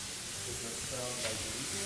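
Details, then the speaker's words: Old second-hand Ingersoll Rand IR40 pneumatic upsetter, jury-rigged air supply: steady sharp hiss with no mechanical rhythm, air escaping at the wrong air fitting; compressed air leak at fitting. "Okay, I put the wrong air fitting on. So I'm gonna quickly change that."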